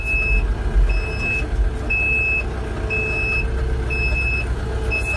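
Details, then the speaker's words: RK 74 tractor on a snowy day, backing up to hook up a bucket after the grapple came off. Loud, even reverse alarm beeps about once a second over a low diesel rumble; it works normally but seems to sound from inside the cab. "and if this was mine that right there would be eliminated in a heartbeat that backup alarm is it sounds like it's in the cab"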